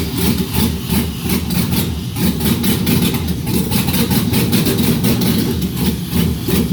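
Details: Quick catch and an even, steady idle with evenly spaced lope, no misses or knocks, from an LS V8 on an engine stand, cam-modified, fuel pressure checked correct; engine runs healthy.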